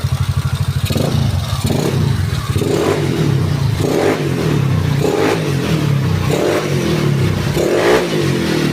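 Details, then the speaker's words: Yamaha Mio bored up to 155cc, standard stroke, 11.5 compression, freshly assembled: scooter burbling at idle, then several quick throttle blips rising and falling cleanly, no knock or rattle; engine smooth. "Coba sekali lagi kita starter. Kondisi mesin halus ya. Coba kita player."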